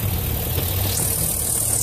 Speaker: okay if you need anything else let me know but that's pretty much the engine running it's a normal idle